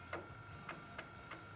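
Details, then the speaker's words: Fuel stop solenoid on a Cummins-converted Land Rover Defender 127/130, bench-tested with just over 12 volts straight from the battery: sharp single clicks at uneven intervals, about five in under two seconds, as the plunger pulls in; works normally. "put 12 volts onto it with this wire and you can see they're"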